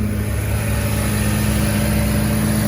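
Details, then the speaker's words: Mazda RX7 FC rotary after replacing cracked air pump bracket, refitting compressor belt and charged battery: fired right up, smooth even idle with steady hum, no misses; previously cutting out with charging issue, check engine light gone. "all right dang she fired right up yeah that was definitely the issue for sure that not being connected"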